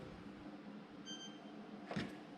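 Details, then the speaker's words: Fairly new stainless GE dishwasher that has power but won't start: a single short high beep over a quiet room with a soft click after, flagging an error; owner first suspects the door switch/latch: dishwasher error beep, will not start. "the initial problem well you probably can hear it in the background it's going to beep um every now and again"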